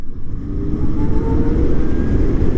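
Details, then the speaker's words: CyberX e-bike after belt drive conversion replacing chain: smooth low hum rising with speed, no clatter or chain slap; chain noise was from front sprocket, now far quieter. "It's definitely a lot smoother too. It just doesn't feel as like clattery."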